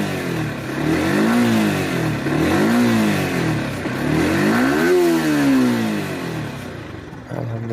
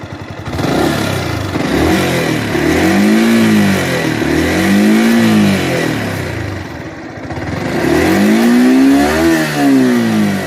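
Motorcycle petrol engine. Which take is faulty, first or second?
second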